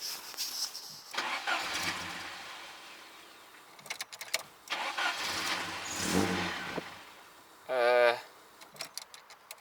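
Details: Mercedes petrol engine: starter churns in repeated bursts without catching; idle air control valve suspected stuck shut, freed by tapping, then engine starts; cause unconfirmed.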